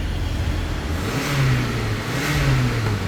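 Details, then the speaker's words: 2010 Hyundai Sonata, earlier a crank-no-start with a dead fuel pump, now starting after the new fuel pump was installed. The engine fires and runs smoothly with a gentle rise and fall in revs, no misses or knocks. Normal running after repair. "Yeah, I know you guys ain't hearing that. The car is running."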